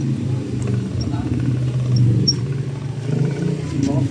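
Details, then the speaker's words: Worn old radiator fan motor: low, rough, uneven bearing growl; the brand-new replacement assembly runs quiet with no play. "so ayan po yung tunog ngator fan motor ni sir nung luma pa"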